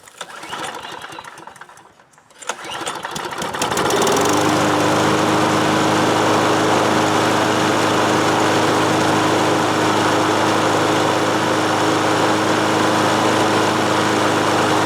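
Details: 20-year-old John Deere mower, after fixing an overfilled crankcase and sloppy valve lash that disabled the compression release: pull-start catches after a couple of tries, then a steady, even putter with no misses or knocks; healthy.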